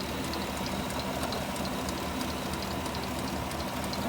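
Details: 2020 Chevy Suburban 5.3L V8 at idle: steady rushing whir with faint high chirps about three a second; water pump pulley has too much play, worn water pump bearing.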